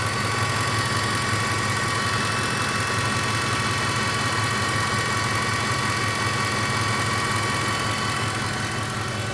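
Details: Newly acquired Ford F150 4x4 pickup idling: steady low hum with faint light clicking about three times a second; cause unknown.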